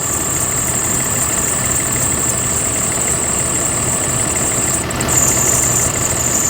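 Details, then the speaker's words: 2016 CE special-needs bus with 6.7 Cummins at idle: a constant high, thin belt squeal over the diesel that never stops, driver-reported; a weak belt tensioner is the known culprit, fixed by replacing the tensioner. "well driver says that the belt is squealing it doesn't want to stop so let me go ahead and turn this sucker on so you guys can hear this"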